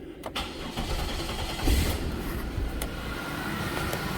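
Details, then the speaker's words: 2000 Chevy Impala after fitting four identical bolts: starter catches quickly, settles into smooth even low idle with no clatter or ticking; normal start and idle. "Oh, there we go. It's nice and quiet now. No clattering."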